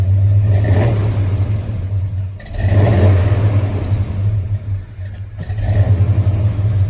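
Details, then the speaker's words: Freshly rebuilt V8 in a K20 squarebody, Holley Sniper fuel injection still learning, engine warm: deep rumble stumbles and sags on each throttle blip and nearly dies when the throttle drops; hesitation, cause unconfirmed. "you can hear a little bit of that hesitation when i rev the motor which is what we need to work on"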